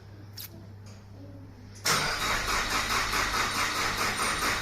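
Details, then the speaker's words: JDM Nissan Pulsar GTI-R after intake manifold removal and coolant pipe replacement: steady starter churn about two pulses a second, never catching. Owner suspects fuel loss and notes no fuel pump prime heard. "let's see if we can get some juice in it normally I like to it a couple times let the fuel come up cuz we did lose some fuel the system"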